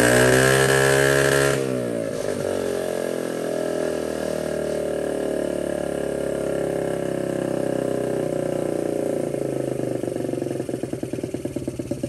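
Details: 1979 Honda Z50 with a loose, temporarily fitted SL70-style low exhaust: small single revs high, settles into a steady popping idle, then picks up again; runs cleanly and evenly.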